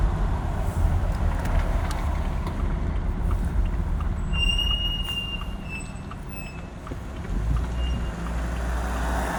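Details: Haval Jolion under braking: a thin high-pitched squeal comes in as the car slows, fading and returning over the road hum; the brake pads squeal.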